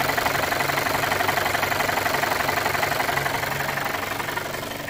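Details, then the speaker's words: Audi A4 1.8T (B8), hard to start, lumpy, surging and misfiring at start: steady light tapping about three per second from top of engine over rough, slightly surging idle; owner suspects mechanical timing fault, not confirmed. "But you can hear definitely that sort of tapping. Not knocking really, it's more a tapping at the top of the engine."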